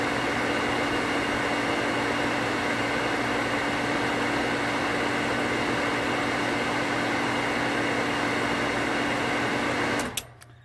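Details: Well pump on 240 V after pressure-switch rewire, new switch with contacts cutting out 10 psi higher (activating at 45 psi): steady motor hum building pressure for ten seconds, then one clean click shutoff without chatter; pump and switch working normally.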